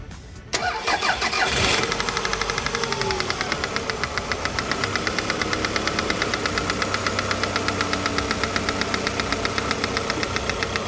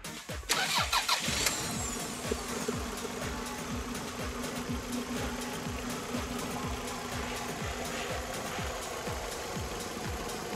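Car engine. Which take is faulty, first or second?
first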